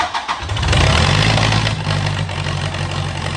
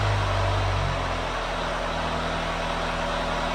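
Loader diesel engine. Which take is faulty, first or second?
first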